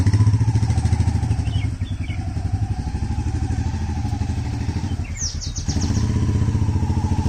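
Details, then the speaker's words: Royal Enfield Meteor 350 after removing and cleaning rear brake pads, ridden at low speed; single-cylinder thump with no brake squeal when slowing, rear brake quiet for now, unsure if fix will last at higher speed. "Hello दोस्तों अभी के लिए वह आवाज तो नहीं आ रही है"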